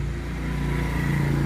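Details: Nissan Livina idling with a low rumbling, slightly uneven lumpy beat instead of a smooth hum; misfire traced to a failing ignition coil, coil boots checked and found fine.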